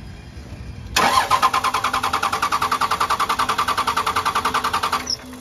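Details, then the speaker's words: 2nd-gen Cummins diesel after a FASS lift pump filter change, injector lines cracked to bleed: four seconds of even cranking at about 3.5 beats a second with no firing, due to air in the fuel lines. "we're gonna keep cranking until you get fuel if I can crank it a few times"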